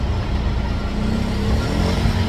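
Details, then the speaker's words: PowerSmart 2500 W generator on a sailboat starting a soft-start air conditioner; steady drone firms slightly as load comes on, surge probably near 20 amps, no stumbling or hunting, normal running under load. "and there's the peak that's the surge I do have um soft starts on these AC's so it will lessen that blow on the start"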